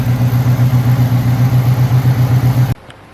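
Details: Hurricane Ida flood-damaged 1979 Chevrolet Camaro Z28 V8, exhaust now dried out, before oil change: steady even idle with smooth lumpy exhaust pulse, no misses or knocks, then shut off; normal idle.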